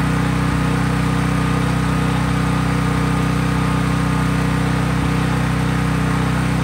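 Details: Craftsman 5000-watt generator running off load, only an LED bulb plugged in: smooth, even drone at steady speed with no misses or surging; normal running.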